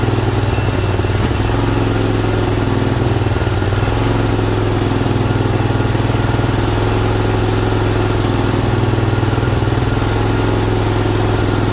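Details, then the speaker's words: Briggs Vanguard 20 hp V-twin at first start after oil cooler install, with the oil filter and cooler filling, throttle backed off from full and choke worked by hand. Slightly uneven low idle that settles into an even, strong run once fuel arrives; normal running. "Just took a little bit for the gas to get up in there. So she was a little rough at first, but she evened right out. Sounds good and strong too, I think."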